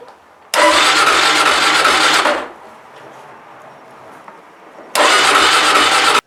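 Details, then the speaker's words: Motorcycle stored in owner's hometown, just purchased, cold day at about -15; starter cranks in two bursts of a couple of seconds but engine never catches, cold no-start; later found to be frozen up. "I did notice it is a bit hard to start when it's cold so 2-15 here today so we'll see how she does"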